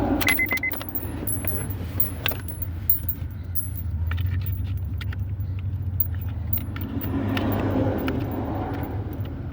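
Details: 1994 Honda Accord that had cut out and wouldn't restart, after replacing the relay under the dash by the brake pedal: keys rattle, engine catches and settles into a steady low idle with no misses or knocks; running normally.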